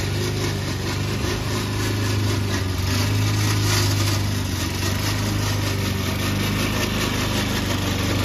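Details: Old Toro Recycler mower cutting Kentucky bluegrass, binaural recording, before fix: loud steady low engine drone with a constant rough, rattly clatter from the dry drive system; the noise was later solved with WD40.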